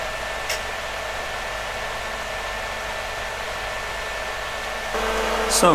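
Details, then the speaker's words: PDP-11/34A vintage computer, top and bottom covers on, powered up with RX211 floppy interface refitted and booting: loud, steady rushing air and faint even hum from its cooling fans, noisy even at reduced speed, outside cabinet; normal fan noise. "you can see now why it's best not to have too many of these fans running they are very noisy"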